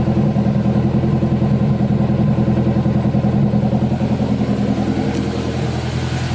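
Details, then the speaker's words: Turbo Honda S2000 after replacing worn and pinched injector seals, injector cleaner just added: steady even idle like a sewing machine, no injector chatter or ticking; normal healthy idle. "sounds perfect it's nice and healthy don't sound like they're chattering [Music] that's like a little sewing machine"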